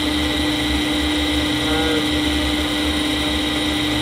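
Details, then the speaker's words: Fujitsu M2294NU 14-inch Winchester hard disk spinning up, reportedly with a bad bearing: loud, steady high-pitched hum and whoosh at constant speed, no high-frequency screech, so the spindle bearing sounds fine; head did not move. "It is fairly loud, but I'd say that sounds fine to me. Um yeah, bad bearing will be like a really high frequency screeching or"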